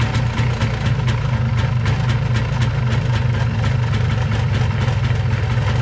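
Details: MZ 251 ETZ two-stroke motorcycle, first start after winter on last year's fuel, weak battery: steady, even idle with crisp regular popping beat, no misses or knocks; normal idle.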